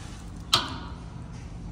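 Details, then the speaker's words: Brand-new replacement steering gear, engine at low idle: sharp, loud pops and creaking as the steering wheel is turned left and right. Wear marks were found on the gear, which is suspected to be a counterfeit part. "we have a uh a nasty popping noise on this brand new steering gear that we just put in let's go see what's going on here"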